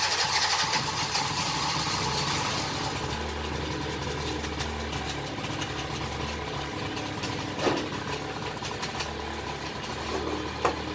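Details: 2010 Baotian Rocky 49cc two-stroke at first start in 3 months: fires up and settles into a light, buzzy idle that holds steady without dying or stumbling; normal idle.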